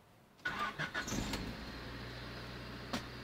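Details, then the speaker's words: 1994 Honda Civic coupe after replacing the ignition switch with a junkyard part: a few seconds of cranking, then it catches cleanly and settles into a smooth, even idle with a steady low hum; normal start and idle. "there you have it so there we are we've troubleshooted the problem and we figured out that it came down to the ignition switch"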